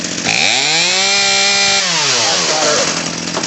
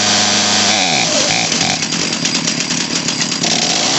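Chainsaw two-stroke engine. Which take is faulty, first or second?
second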